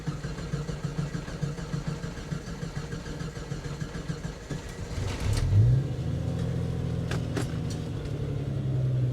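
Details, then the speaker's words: 1991 Jeep Cherokee XJ 2-door, 5-speed manual: several seconds of slow, uneven starter cranking before it finally catches and revs; a very long crank, owner suspects a fuel delivery issue that also causes sputtering on acceleration. "probably one of the longest cranks I've ever had on any of my vehicles"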